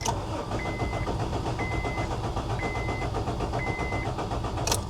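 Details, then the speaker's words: Honda Civic with 60,000 miles, unrun for years and on a full tank of gas, clutch in: starter churns steadily under a repeating warning chime but never catches; cranks with no start because the ECU fuse was missing. "Crank not starting. H. Trying again."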